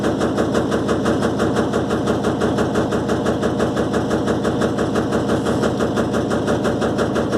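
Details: Electrolux LTE12 washing machine during a suspension test: a fast, steady machine-gun rattle of about three per second throughout the spin. Worn suspension letting the tub knock is suspected, not confirmed.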